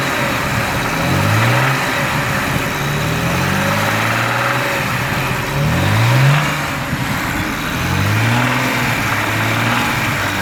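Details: Petrol engine blipped repeatedly to about 3000 rpm, with a soft rumbling early rod knock near the top of each rev. It started as a soft rrrr when cruising at steady highway rpm and worsened over time.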